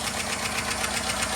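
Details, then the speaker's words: Chevy 5.3 V8 first start after timing chain, cam sprocket and oil pump replacement, oil pressure confirmed: fast, even metallic lifter clatter over the idle that quiets down within a minute. "Is this loud normally? For a minute? Yeah. Yeah, it's quieting down."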